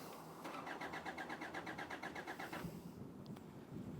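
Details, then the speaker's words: Hyundai Santa Fe crank no-start after injectors were replaced: even cranking at about six beats a second that never catches, with only very low fuel pressure on the scan tool; bypassing the fuel pressure regulator valve raised pressure, so the valve is faulty. "so we'll crank over see we can see we're only getting very low fuel pressure"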